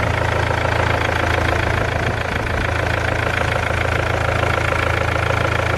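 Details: 200k-mile BMW E46 320d Touring, M47 diesel, just fired up cold after repairs (failed crank pulley, missing drive belts): steady clatter with an even rattling puff about three per second; owner suspects exhaust leak, flexi on downpipe gone.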